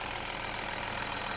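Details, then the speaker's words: Peugeot 308 GTi idling just after installing a decat downpipe with heat-wrapped top half, listening up front; smooth even idle, steady hum, no puffing or ticking; no exhaust leaks seen or felt, underneath not yet checked. "Doesn't seem to be any exhaust gas leaks. anywhere that I can see or feel."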